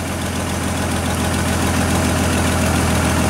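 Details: GM Trailblazer that stalled and blew a fuse, coils two and three swapped at idle: rough idle with an uneven stumbling beat about three per second; the misfire moved with the coil, a failed shorted ignition coil.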